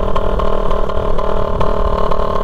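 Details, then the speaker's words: Raider 150 motorcycle at steady speed on a four-lane highway after the muffler came off; harsh, loud, raspy note with sharp regular exhaust pops from the open exhaust connection. "Tambutso yung ingay kundi sa connection mismo."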